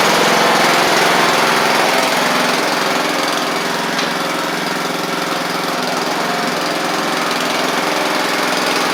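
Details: Craftsman riding mower after brake repair, restarted: even, steady small-engine beat at roughly three and a half pulses a second, holding speed without misses; runs healthy and the rider is done for running and driving.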